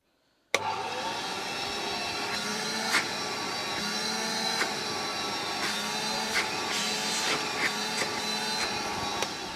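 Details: Refurbished vintage Hoover 417E vacuum, 510 W, exhaust fan removed from back, fleecy bag fitted: steady, even motor whine with a few light clicks from handling; restored motor running healthy for its age.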